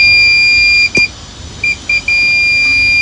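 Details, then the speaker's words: Multimeter continuity test on the ground fuse of an HR28 MK2 machine with CAN bus errors. A high-pitched tone drops out briefly as the probes shift, then holds steady. The fuse is good. "hear the beep yeah so the fuse is good so yeah it's all good"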